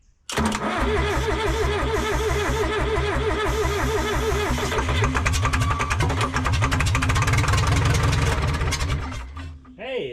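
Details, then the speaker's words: Abandoned Lull Highlander 844 telehandler diesel, jumped at the solenoid with injectors disconnected: rhythmic cranking of three to four beats a second with occasional firing catches building up, trying to start but not running; owner suspects a stuck plunger. "So, and we'll just keep trying it. Sounded like it was trying to do something there."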